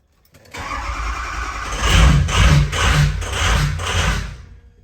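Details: Cold 6.0 Powerstroke diesel with rough running and hard cold starts: fires and surges in uneven pulses about twice a second and bogs under throttle, with FICM main power voltage dropping, reportedly to 37. Finding: rough running from a failing FICM, replaced.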